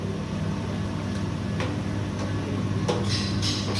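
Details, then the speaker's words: Screw-type coconut milk press on pre-delivery test: steady, even motor hum with a few light knocks from pressing, no labouring or slowing; quiet, motor not loaded. "อืตัวนี้เงียบดีว่ะมอเตอร์ไม่โหลดเลยนะ"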